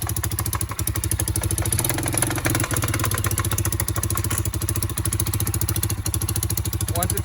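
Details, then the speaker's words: 2008 Kawasaki Bayou quad bought as a parts basket case, first run: uneven idle with a loose, fast metallic rattle at standstill; owner suspects the centrifugal clutch, which stops rattling once engaged, plus an exhaust leak. "so there you have it now that i listen to it a lot more it does sound like a go-kart clutch"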